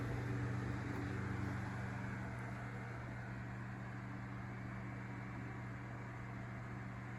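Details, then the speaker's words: Edison Deluxe 9-inch oscillating fan 094002 running on low speed after cleaning and oiling its totally dry bearings: a steady low hum with a soft, even whir and no rattle or scrape, so it runs smooth and quiet. "these are really high quality and good running fans generally speaking"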